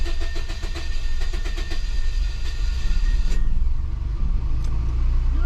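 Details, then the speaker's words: Scion daily driver with a recurring misfire, after a compression test showing low compression: long rhythmic cranking before it stumbles to life with a rough, missing idle, then settles to a normal idle. Hard start from low compression. "That took long enough. Oh, she's missing bad though."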